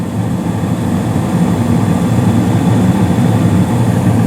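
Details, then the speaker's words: Carrier gas furnace in attic, seasonal startup, panel off: deep steady burner rumble with blower's even low drone, no rattles or scraping; running smoothly. "you hear a nice like rumbling from the flames below in the playroom and the hallway and then you hear the motor itself turn on the blower motor"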